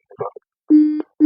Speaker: You can hear the buzzing means it's locked. So, it's only set to receive right now.